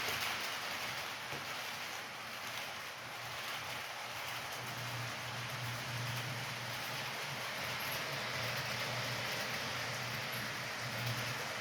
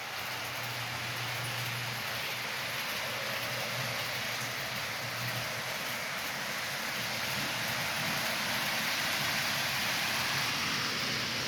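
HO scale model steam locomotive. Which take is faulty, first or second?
second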